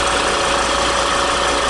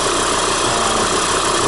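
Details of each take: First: 2014 Volvo XC70, about 150,000 km, after replacing the drive belt, faulty tensioner and seized alternator overrunning clutch: petrol engine idles smoothly and evenly with no squeal, chirp or rattle from the belt drive. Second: 2014 Volvo XC70, about 150,000 km, idling: steady busy whirring rattle from the drive belt area, also present when driving; caused by faulty belt tensioner, alternator overrunning clutch also seized; noise gone after replacing both and belt.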